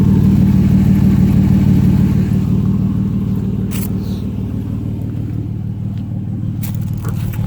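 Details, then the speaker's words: 2006 Chrysler Pacifica 3.5 V6, front-wheel drive, idling before exhaust repair: a loud raspy idle with rapid low puffing; exhaust leak at the catalytic converter and muffler. "that sounds kind of horrible almost like a four canyons on it we have we have an exhaust leak for sure it's a catalytic converter it's leaking and also the muffler"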